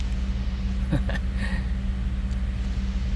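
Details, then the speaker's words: 2011 Ford F-150 5.0 V8 with a crank-no-start and misfire faults after starting, now idling with a low, steady, even hum and no skips. The misfire has cleared, possibly from debris; normal idle. "so I got in the truck to shut it off and now it's running pretty smooth so we probably had trash or I don't know but it's not missing anymore"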